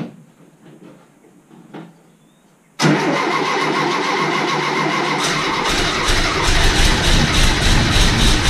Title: VW Type 3 Fastback Engine start after rebuild.